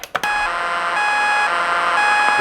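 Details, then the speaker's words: Lightning-damaged NuTone IMA3303 intercom, mic about an inch from the grill, door talk button pressed: silent before, then a steady electronic bleeping drone with a thin high whine; digital noise from the intercom speaker, cause unknown. "if we activate the intercom i'm going to push the door talk button [Applause] obviously we're receiving some sort of alien signals"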